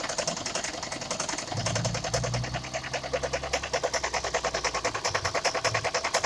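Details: 2002 first-gen Toyota Prius engine with codes P0300–P0303, after injector cleaner and new NGK iridium plugs (no change), injectors ohm-tested OK: idle with fast ticking chatter and uneven stumble about 2.5 times a second; misfire, owner suspects cracked #4 ignition coil pack.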